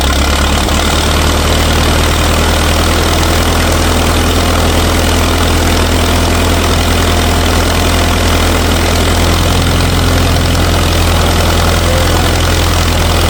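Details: 1964 LeRoi 125G1 trailer air compressor, no muffler (straight pipe), warming up with the output wide open so pressure stays low: loud, steady low rumble, even beat with no knocks or misses; runs normally.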